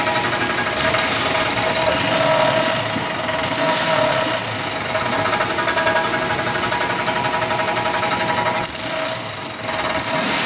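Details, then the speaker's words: 1996 Chevy Impala SS LT1 V8 that rattled only under acceleration, after a hard highway pull: a loud, fast metallic rattle now chatters continuously and won't go away, seemingly from underneath the car; cause unknown. "Don't know what this sound is, but every time I get on the gas, start hearing this rattling noise. Tonight I got on it a little bit more, open it up a little bit. Now all of a sudden I'm getting this loud noise, and now it's not going away."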